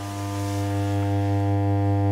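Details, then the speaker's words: Blackstar HT5R valve amp after replacing FETs with no effect, output heavily distorted: loud steady 50 Hz mains hum with buzzy edge after standby on; suspected failed HT smoothing capacitors. "No, that's that same hum."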